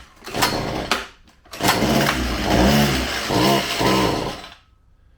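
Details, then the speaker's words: Stihl MS192TC chainsaw that starts easily but bogs, clutch also squealing: fires and revs unevenly, sags under throttle, then dies out within seconds; clogged spark arrestor screen choking the exhaust. "and yeah that's what it's doing it's just dying out"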